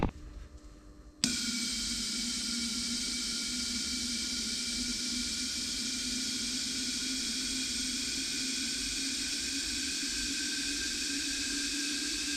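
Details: Kawasaki KRX1000 fuel system flow test with injectors spraying into bottles, bottles swapped between cylinders: quiet, then a sudden steady hiss with a faint constant level whine; pump and injectors spray evenly, about 175 ml each, stock rail flowing equally.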